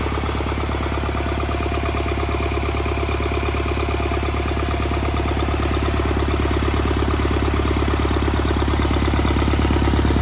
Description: Rebuilt Doosan D34P Bobcat S770 diesel engine overall operation..